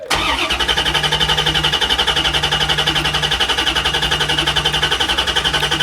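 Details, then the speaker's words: 1994 Chevrolet Corvette with cold-engine misfire, despite new distributor, cap, rotor, plug wires and plugs: cranking with pedal floored, even beat of about three pulses a second with no dips. Healthy compression; ignition fault suspected. "This is not a compression problem. This is probably going to be ignition."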